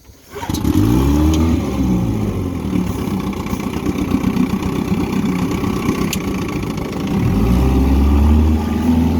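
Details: 1959 Evinrude Golden Jubilee Sportwin 10hp two-stroke outboard, rescued from a rough state, on a test run after an ignition tune-up, rebuilt carburetor, fresh water pump and good clutch dog. Starts quickly, revs rise and fall cleanly, no misfires or knocks; a decent runner.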